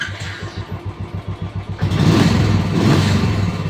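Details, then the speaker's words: Royal Enfield Classic after fixing morning starting problem by plug cleaning and mixture screw setting, restarted: even, steady idle thump about four beats a second, then a clean rev without stumbling; normal start and idle. "यहां पर गाड़ी okay है ठीक है"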